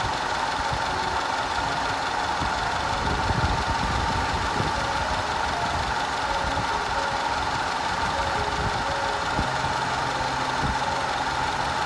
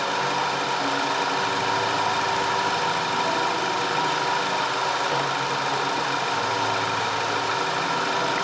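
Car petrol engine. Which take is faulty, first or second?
first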